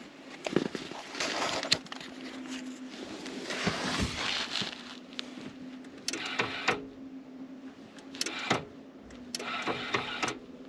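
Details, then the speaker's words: 1996-1999 Chevy Silverado K1500 GMT400, 5.7L 350 Vortec, NP241C/243C transfer case, idling in park: the electric actuator gives a short whirring burst shifting into four low. Normal transfer case shift. "And you'll hear the transfer case shift. Okay. So you'll hear it into four low."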